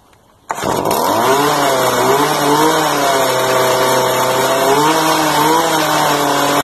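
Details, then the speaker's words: Stihl F5 55RC string trimmer after cleaning the carboned spark arrestor (compression up 11 PSI), primed and choked: fires at once, buzzing note wanders up and down. Idle unsteady, carburetor seems to need slight adjustment (not confirmed). "Sounds like the carburetor needs adjusted just a little bit, but hey, it's working."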